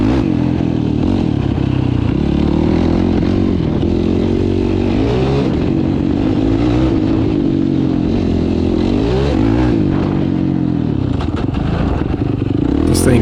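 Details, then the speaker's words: 2021 YFZ 450R with an HMF slip-on exhaust and fuel optimizer, full-throttle runs on a small motocross track. Revs climb cleanly to redline repeatedly with no backfiring or decel popping; it runs as it should. "Hammer it to full throttle and it pulls and runs all the way to red line and wants to accelerate like a little monster. And no backfiring, as you can hear, whatsoever."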